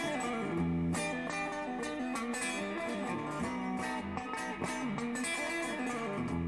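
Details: Crate Vintage Club 50 amp, previously swelling in volume once warmed up, tested about an hour after the fix: electric guitar plays cleanly with an even, steady level and no dropouts or surging; the amp now sounds healthy.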